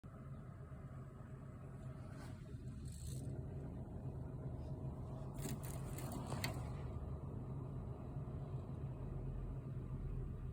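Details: NVIDIA RTX 3060 Ti graphics card: loud, steady low buzzing drone from the GPU fan at medium to high speed.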